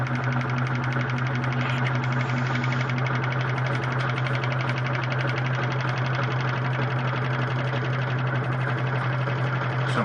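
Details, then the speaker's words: Whirlpool WTW4850XQ0 washer, complaint not spinning properly, in diagnostic test mode high spin: steady low basket hum, even rhythm, no grinding or banging; spinning normally. "so I'm going hit start I can hear the unit is beginning to spin right"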